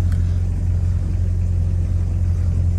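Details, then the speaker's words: VW Polo G40 engine, smoking a little, charging well; deep steady exhaust rumble at fast idle, exhaust line vibrating, starts and runs well with no knocks or misses; healthy. "Oh, comment elle vibre la ligne. T'as vu ça comment elle démarre bien? T'as vu ça comment elle tourne bien aussi?"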